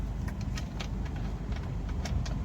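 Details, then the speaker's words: Suzuki Baleno, after column gear cleaned and regreased and bolts fully tightened to fix knocking and hard steering; car standing: steady low engine hum with a few light ticks, no clunk while steering; column now quiet. "पहले चलने में आवाज ए रहा था खड़े में अभी कोई आवाज नहीं है देख सकते हो एकदम साइलेंट है"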